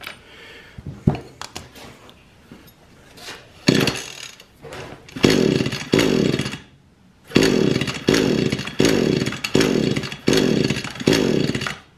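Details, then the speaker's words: Echo string trimmer left unused over winter, won't start: repeated pull-cord cranking about a second apart, never fires; wet plug and spark test confirm no spark, ignition coil suspected. "see the spark plug is wet so we know it's not getting any fire if that spark plug was dry I'd say it might be sparking but if the spark plug tip is wet it's not getting fire"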